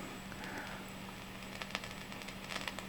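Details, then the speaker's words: Used DSL40CR tube amp powered on with a bad output tube, idling: irregular small pops and crackles, sometimes louder, over a steady low hum. "So sometimes it makes a louder pop, but there it is. Let me play guitar through it real quick. But it's making a kind of low popping sound."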